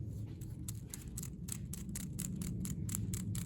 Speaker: not as bad as some others right obviously but it's got a there's a looseness to it that you can hear when you roll it